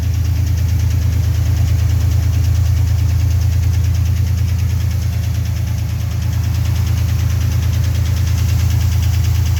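Steady knock at about two per second under a rough idle, a deep regular tapping from inside the engine; cause undetermined.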